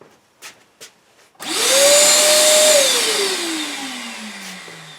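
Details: Shop vac that would not turn on, after replacing its blown motor thermal fuse and soldering the wires: a few clicks, then motor whines up to a steady high pitch, holds, and coasts down smoothly; motor runs normally.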